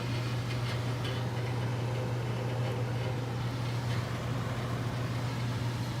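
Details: Furnace service call: a steady low hum over rushing air, traced to stamped return grilles vibrating in heavy airflow (reed effect); since fixed.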